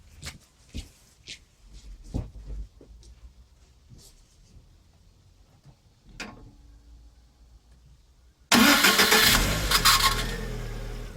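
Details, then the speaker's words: Lada Kalina engine start before repair: quiet handling, then a sharp crank catching into a loud run with a thin squeak over it; starter found slightly loose and dry, squeal cured by greasing bushings with graphite grease plus Hado. "Значит, так. Сейчас будем устранять скрип, который появился во время пуска двигателя."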